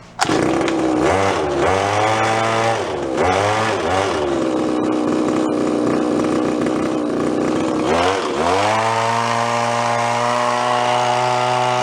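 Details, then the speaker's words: Garage-sale two-stroke hedge trimmer, cleaned and reassembled, buzzes cleanly through several blips then holds a steady high whine; runs well, mixture slightly rich as wanted for a two-stroke. "choke even the mix sounds pretty good too little on the rich side which is what you want on two-stroke run lean they'll burn up"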